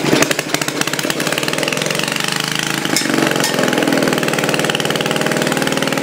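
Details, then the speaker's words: Old Briggs engine being tested for a homemade radial build, smoking from penetrating spray used to free it: quick, even single-cylinder putter with steady firing, no knocks or misses; normal running. "It don't really smoke too bad either. No, it's just the stuck spray in there. Oh, listen to that. H. Yeah, that's pretty good, buddy."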